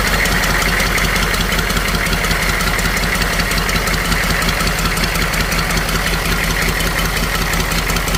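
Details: Humvee H1 M1097 6.2 diesel starting after fuel injection pump rebuild kit to fix a fuel leak: even diesel clatter at steady idle, about three beats a second, no misses or stumbles; idles cleanly.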